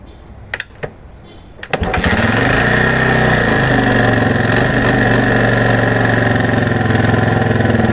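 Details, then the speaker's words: 1982 Honda XL250R single, compression a bit low, bought cheap after a shop called the engine shot: fires up and idles with light top-end clatter on the beat; suspected loose valve clearance and slack cam chain tensioner, owner hopes not connecting rod. "Okay, we heard this noise. The noise is coming from the top end. For the noise, I see three possible reasons. First suspect is valve clearance,"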